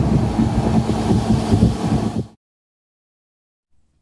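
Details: GE AHC12LYW1/ACH14AZW1 12,000 BTU window air conditioner after a DIY control-board bypass (88 code, beeping, five-second shutoffs before): steady low hum and even fan rush for two seconds, then a clean cutoff to silence; normal.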